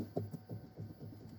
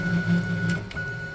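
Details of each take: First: DIY CNC router Z-axis with heavier water-cooled spindle, after fitting a hydraulic shock to stop gravity unloading the lead screw; same settings, steady even hum with a clean high tone, growl and vibration gone; smooth Z-axis motion. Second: DIY CNC router Z-axis with a heavier water-cooled spindle: low buzzing growl pulsing as the spindle drives down, then quiet; gravity overruns the lead screw and unloads the nut, causing backlash vibration, fixed later with a hydraulic counterbalance.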